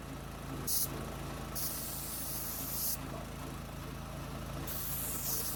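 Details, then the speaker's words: New gas-powered MaxAir air compressor, first run after unboxing and assembly, after some difficulty starting: small single-cylinder engine thudding steadily with bursts of air hiss; running fine. "But anyway, seems to be working okay. We'll put it through its paces here in the coming weeks here."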